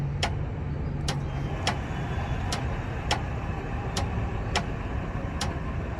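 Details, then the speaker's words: Railroad crossing gates rising on a newly installed battery bank, S60 gate mechanism: crossing bell about 40 strikes a minute over a low, steady motor rumble, less grinding than before; normal operation. "If you listen carefully, there's less of a grinding sound coming from this close S60."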